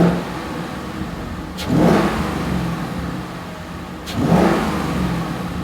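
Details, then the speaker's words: 2015-2017 Mustang GT V8 with newly installed Holley iNTECH cold air intake: smooth idle, two quick throttle blips with strong intake roar, clean return to idle; louder than factory airbox. "Definitely a little more sound than the factory box."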